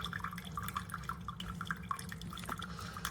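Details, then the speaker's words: Chefman single-serve K-Cup coffee maker brewing: soft, irregular drips into the cup over a faint low hum; quieter than a Mr. Coffee; normal brewing. "It's quiet. It's actually quieter than this one. It's quieter than the Mr. Coffee."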